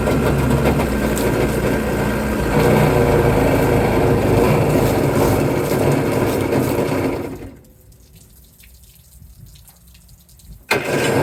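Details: Yamaha jet ski two-stroke engine fitted in a jon boat jet conversion: buzzes along at a steady beat, then drops out nearly quiet about three seconds before catching again; running poorly, owner suspects fuel on/off/reserve valve.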